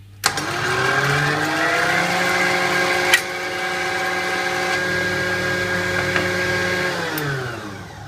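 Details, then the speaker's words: Kenwood Chef A701/A mixer on speed setting one: motor spins up and holds a clean, steady hum at one pitch as the gearbox cover is removed, note unchanged because the centrifugal speed controller keeps speed constant; normal steady motor speed. "I put this on to number one and then when I remove the cover if you listen carefully the note from the motor won't change"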